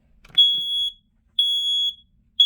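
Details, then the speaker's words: Loud high-pitched beeps about half a second long, repeating every second, continuing on their own after the test. A smoke alarm on test keeps beeping for about 16 rounds before it stops and its light turns off; this is repeated test beeping. "This is the only thing that keeps me so flippin' annoyed because literally, like, it just continuously beeps."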